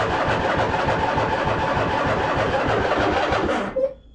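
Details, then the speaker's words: 2007 White Outdoors (MTD) CT 54 zero-turn mower, Briggs engine, sat 3-4 years, choked, hydros engaged: starter cranks nearly four seconds but never catches; no start, jumper pack then fitted; cause unconfirmed. "no go all right let's throw the jumper pack back on it"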